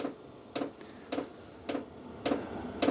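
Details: New VEVOR diesel heater restarted after error 10 (check oil circuit blocked): sharp clicks just under two a second in a quiet room, speeding up as it tries to start, temperature rising to 17–20 degrees; fuel pump ticking.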